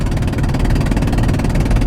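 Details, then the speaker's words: Vehicle engine before repair with a spark plug blown out, leaving seized remnants in the hole: a loud rapid puffing racket of about sixteen pops a second over a heavy low drone as compression escapes. The engine was extremely gutless, with no power on the highway. "And something you're going to notice if you have this problem on the highway, extremely gutless, extreme lack of power. You can hear that racket there now."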